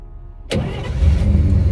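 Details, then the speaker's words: 1953 Pontiac Chieftain, about 71,000 miles, cold start in freezing temperatures. Starter catches at once and settles into an even, deep idle with no hesitation. Normal cold start. "listen to that man she just fires right up you can't beat that man she just can't beat it man she's a beast"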